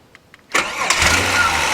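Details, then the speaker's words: 2000 Holden VT Commodore project, started with a jumper pack: a couple of faint clicks, then the engine catches at once and settles into steady idle; normal start. "That's clicked saying it's good to go. There she starts up now."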